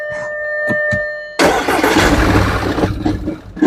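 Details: 2011 Audi Q5 (CDNC engine), towed in, stalls on start-up with codes P0301/P0302; started after swapping coils between cylinders: a few ticks, then rough, uneven running; start-up misfire, fuel smell at tailpipe, coils and plugs suspected.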